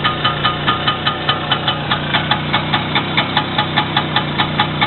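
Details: First start after repair, with the wrist pin bushing and the whole piston group replaced: steady idle with an even light tick about five per second; healthy and smooth.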